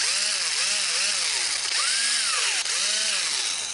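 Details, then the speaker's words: Worn DeWalt 1/4-inch impact driver: motor whine rises and falls with each trigger pull over a gritty rasp; owner thinks the gearbox is about to fail and is grinding. "It just got to where I think the gearbox is just about to shell out, and you can hear it kind of grinding."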